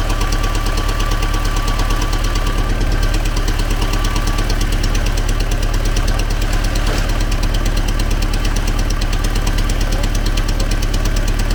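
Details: T-40AM tractor diesel, started cold at about -14°C after sitting a month, with a makeshift manual throttle: rough idle with a steady knock about three times a second under the low rumble. Source of the engine knock not yet pinned down.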